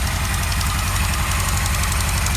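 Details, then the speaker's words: 1977 Kawasaki KZ1000A four-cylinder with used stock pipes idling steadily; faint sharp puffing tick on the exhaust pulses from a small exhaust leak at the front. "Boy, got a little exhaust leak at the front,"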